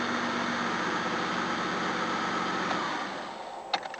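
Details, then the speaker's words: Hot restart after front calipers rebuilt and top hose, thermostat, rocker cover gasket done; previously would not start hot. Engine now idles steadily with slight gentle hunting as it settles, then quiets; normal idle. "Well, it's running like an absolute dream, so let's see if it starts hot now, which it couldn't do before. That hunting's normal, it's just settling itself in."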